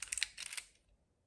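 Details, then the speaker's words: Konica IIIA 35mm rangefinder leaf shutter on a one-second exposure: a few soft, light clicks, then about a second of near silence and a faint closing click; a quiet, healthy leaf shutter. "i'm just amazed by how quiet this wrench finder is okay and again because leaf shutter usually they are the quietest type of shutter available"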